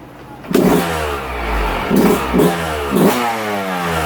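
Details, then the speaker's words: 2022 Yamaha YZ125 two-stroke, warm after a full heat cycle, rebuilt top end after the stock cast piston broke; crisp throttle blips rising and falling cleanly back to a steady idle; normal running. "she's doing good the shop is smoky i just did a full heat cycle on her she's all smoking smoked up butt seems to be running good motor sounds good"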